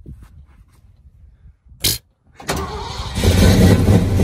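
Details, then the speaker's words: 1979 Ford V8, started for what is planned as its last time before being deliberately blown up: quiet, then a brief crank and it catches at once into a steady, rising rumble, a healthy instant start. "Но с полоборота, как часы."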